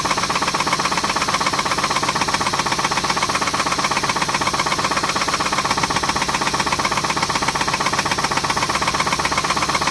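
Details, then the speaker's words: 2006 Pontiac G6, after replacing the oil filter housing gasket and oil, suspected rod knock, test drive while warming up: sharp, steady knock about four times a second over the engine, plus a bad grinding sound; cause not confirmed. "It's still knocking, but well, it's got a bad grinding sound. I don't know if y'all can hear that grinding. I know y'all can hear that motor knock."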